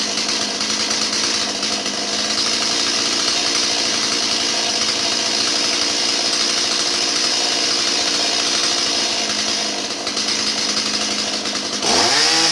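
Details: Stihl 017 chainsaw that bogged down, after retrofitting an adjustable non-EPA carburetor in place of the EPA non-adjustable one: steady high-pitched two-stroke buzz, no stumbling or surging; runs clean.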